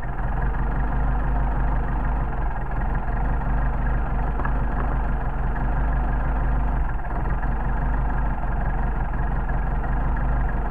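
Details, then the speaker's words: Rebuilt Solex carburetors under test after linkage adjustment: a steady low idle, then a quick throttle blip that drops back cleanly to an even idle; normal response. "and then you get to do the fun stop and you see you got back you come back to your idle"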